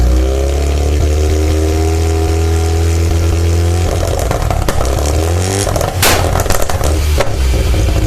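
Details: Mazda RX-7 SA22C with 13B turbo rotary after a cat delete: rough idle that breaks up, then throttle blips with popping and stuttering. Misfiring at idle and when revving.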